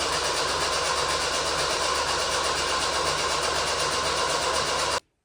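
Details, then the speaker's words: Stretched '65 CJ5 with a 1986 Ford Ranger 2.0 engine, new fuel pump, spark confirmed, carb primed: about five seconds of steady starter churn that never fires; owner suspects a fuel supply issue. Crank no start. "okay but not want to fire off exactly that's a new fuel pump on"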